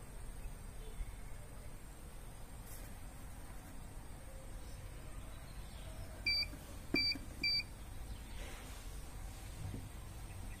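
Three short high beeps about a half second apart over a quiet room: the prepaid meter's low-credit token alarm.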